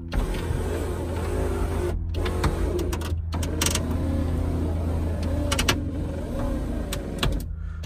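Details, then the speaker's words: Ferrari 308 electric window regulator binding: the motor drones and labours with uneven strain and pauses as the glass moves, probably dry runners; it will be greased on the runners both sides and the motor lubricated. "as you can hear it's binding so I am going to literally grease her up again make sure I've got it really lubed up all the runners on either side"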